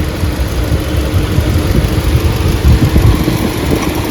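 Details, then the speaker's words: 2024 Hyundai petrol/CNG car, nearly new, running in petrol mode: uneven lumpy idle with rpm fluctuating, engine misfire with warning light, code P030400; only in petrol mode, not CNG. "लेकिन running में अचानक से misfire होने लगती है जैसे अभी इसमें देखो पेट्रोल मोड में अगर है तो गाड़ी आरपीएम फ्लकचुएट भी हो रहा है"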